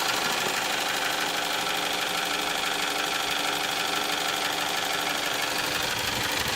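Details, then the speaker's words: 1998 Toyota RAV4 at idle; fast light even ticking about three taps a second, more clatter as idle slows, noticeable but not loud, attributed to worn valve shims near the end of tolerance after oil-change neglect. Valve train clatter. "you hear more clatter as it gets slower [Applause] it's not obnoxiously loud but it's noticeable"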